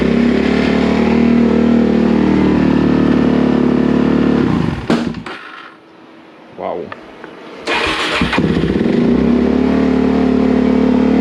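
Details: 2004 Suzuki DRZ400 after replacing a broken oil pump gear, first start on choke: uneven loping idle that stumbles, nearly dies and is caught with throttle blips; carburetor needs adjusting: rough running on cold start.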